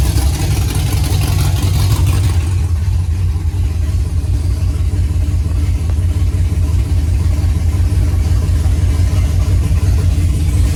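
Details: 5th-gen Camaro V8 on its first start-up after broken-piston repair, DOD/AFM delete and Texas Speed 224R cam, no AC belt because the compressor is gone: loud, deep, steady fast idle with an even lope and no misses or knocks; running normally.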